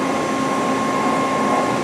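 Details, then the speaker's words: Machine tool spindle gearbox with a chiller dropping oil onto the gears: steady, even gear whine with a faint fixed tone, slightly loud but smooth; gearbox OK. Normal spindle gearbox noise. "I didn't run it in water made up yet so it might be a little loud but I hear you know the gearbox it's okay you know it's not one of the loudest gearbox you can hear is a little bit you know right now"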